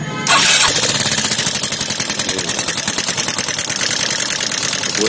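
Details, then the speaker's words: Suzuki Access 125 scooter, engine opened up: fast, sharp metallic ticking about three a second over the idle; oil not reaching the tappets damaged the rocker, blamed on an unchanged oil filter; tappet noise from oil starvation. "इसमें क्या हो रहा है कि जो इसमें चिड़िया है, चिड़िया इसमें आवाज आ रहा है, इसमें ऑयल नहीं चढ़ रहा है, इसलिए इसका देखो साउंड कैसे आ रहा है।"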